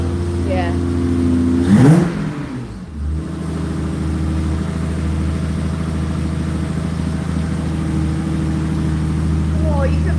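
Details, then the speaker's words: BMW 325i six-cylinder started already warm after a new variable camshaft timing gear was fitted: quick crank, catches on the button with a brief rev, then a smooth, steady idle with no knocks or ticks; normal start and idle. "Now that wasn't from cold, it was already warm. Yeah, it's not a V8, no, Rosie. It's the 325i 6-cylinder, and it sounds amazing."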